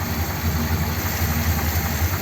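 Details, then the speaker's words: 1957 Ford Thunderbird V8, original four-barrel carburettor reinstated, choke not fitted: low, steady burble with fairly even idle pulses, at most faint unevenness, possibly slightly rough — normal idle. "I'm quite pleased with that seems okay"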